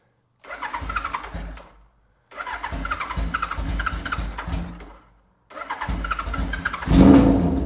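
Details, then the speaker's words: 1977 Kawasaki KZ1000 with 4-into-1 exhaust, sat about a year, started cold with choke: short cranking bursts, then catches and settles into a steady, even four-cylinder idle, still idling slightly high; normal start and idle. "let's let it warm up a little bit sounds pretty happy happy right there still idled up a little bit but sounds pretty good"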